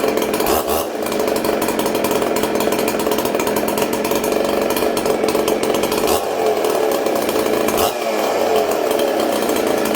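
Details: Ported Husqvarna 266se two-stroke chainsaw, new clutch, chain brake on, owner feared it flooded: revs high and even through several blips, sharp steady buzz with no clutch rattle; runs clean.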